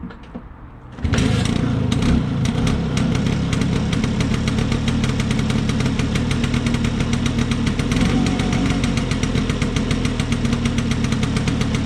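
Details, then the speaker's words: Vespa P200E two-stroke, restored after 30 years in a shed, kick-started after fixing air leaks and passing a leak-down test: catches after a second, then steady even tickover with crisp regular beats, which it wouldn't do before; normal two-stroke idle. "Okay. That certainly sounds much better, and it's ticking over, which it wasn't doing before."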